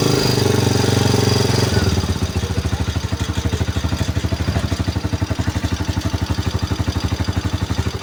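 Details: Single-cylinder motorcycle after CDI replaced with a Liwa unit and spark plug and cap refitted: catches after a short crank and settles into an even, steady idle, about four beats a second, no misses; normal.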